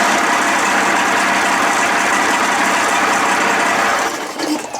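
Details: 55 hp Evinrude two-stroke outboard, first run after a new starter, choked manually and running on water: busy, crackly buzz holding a steady pace with no knock or misfire; runs healthy despite an exhaust cover gasket leak.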